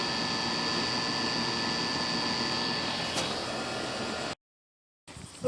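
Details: Goodman outdoor AC condenser, after the blown capacitor was replaced, humming steadily with a whooshing fan and faint high tone, running normally; it was later found overcharged with 0 superheat.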